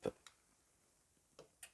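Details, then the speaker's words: Diesel stationary heater during fuel circuit priming, pump symbol on the controller: sharp isolated ticks about once a second in a quiet room, the fuel dosing pump pulsing normally while priming. "Voilà, sur un on a le petit symbole de la pompe et vous l'entendez."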